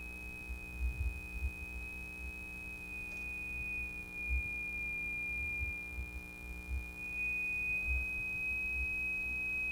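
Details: 1949 Silvertone Model 8004 steel-case AA4 AM radio under restoration, a loose connection or bad solder joint suspected: a clean, steady high test tone comes through the speaker without dropouts; the audio stage passes signal normally.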